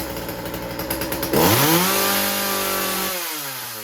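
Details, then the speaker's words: Chainsaw after fixing a stuck carburetor needle and turning the idle down: revs up to a steady high whine that sounds soft and burbly at the top; good response but running rich at high rpm. "it's got good response to it but I can hear that it's rich on the high end so you listen to it now how it changes"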